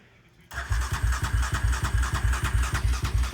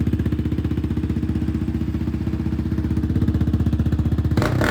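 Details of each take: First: 2020 Yamaha Raptor 700R SE just after a fuel pump replacement. It cranks evenly at about three compressions a second for three seconds but never catches; cranks but won't start. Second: 2020 Yamaha Raptor 700R SE quad after fuel pump replacement; a blown fuse was also suspected in the no-start. Crisp, even single-cylinder thumping at idle, about four beats a second, with two clean throttle blips; running normally.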